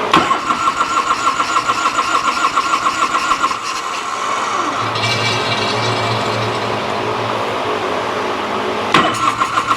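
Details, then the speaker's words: 1986 Harley-Davidson Liberty Edition Electra Glide Classic, 23,000 miles, unrun over a decade, on a boost pack with choke held: starter chatter, then it catches and runs unevenly about five seconds before dying; hard starting, weak spark suspected. "She burped off on us. I see it puking down there. That's fine, that's fine."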